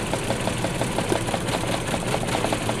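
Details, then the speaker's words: 2010 Mini Cooper with a misfire: lumpy idle with a rhythmic stumble about five times a second from one dead cylinder; new spark plugs didn't fix it, and a spark test shows that cylinder's coil pack is dead and needs replacing. "as you can clearly hear fixing the misfire didn't have to do with the spark plugs so we believe this coil pack is dead"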